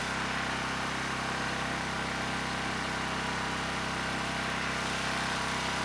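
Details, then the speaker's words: ETQ 2700-watt brushless generator, unloaded, after carburetor work with original jetting: steady, high-pitched drone that no longer surges but runs at 70 Hz; governor spring tension backed off completely, engine still overspeeds, governor misadjusted. "the good news is it's no longer surging the engines running really well and actually a little bit too good it was at 70 hertz without a load so i backed off the tension on the governor's spring pretty much all the way there's no tension left and the engine kept running fast"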